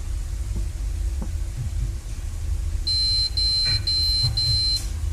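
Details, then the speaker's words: Desktop PC on a repair bench that beeps and won't start, fan stopping or stuttering: repeated long high-pitched beeps about two a second over a low fan hum; a memory-fault beep code caused by the RAM, not the processor or cards. "ركزوا في الصوت ده كويس عشان الصوت ده هيقابلكوا كتير او في اغلبيه الاجهزه اللي هتجيلكوا صيانه. الصوت ده بسبب الرامات، مش بروسيسور ولا كروت راكبه في البورده."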